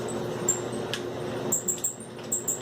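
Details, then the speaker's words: Samsung dryer running: sharp high chirping squeaks repeat over steady tumble hum, very loud, from drum support roller wheels; dryer later stopped; fix is cleaning or replacing rollers. "this is the Samsung driver here I was making really loud squeaking noise"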